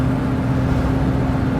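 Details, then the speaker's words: 1973 Mercedes-Benz 450SLC after a Pertronix Ignitor 1885 install fixed a no-start, with the factory ignition control and tach wire removed; while driving, a steady, even engine drone with no misfire, popping or surging. Normal running. "I took the tack wire off, everything, and went just with our ground wire from our Pertronix. Fired up, ran great, done deal, finito."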